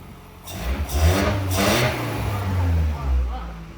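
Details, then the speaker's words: Truck after a fresh engine swap, revving right after an unplugged injector was reconnected (it had sounded like a slight misfire): engine picks up cleanly through quick blips and settles evenly without stumbling; now runs well. "There we go. That's way better. Oh, that actually that runs really good."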